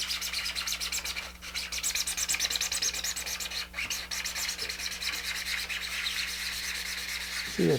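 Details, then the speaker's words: Hand-sanding a smooth 3D-printed observation deck (Apogee Nebula ST rocket kit) with 220 grit: quick back-and-forth hissing strokes with a thin whistle on them; surface isn't flat yet, keep sanding until it fades. "You can hear it, kind of a whistle type sound. Keep sanding until that goes away, and then you know it's flat."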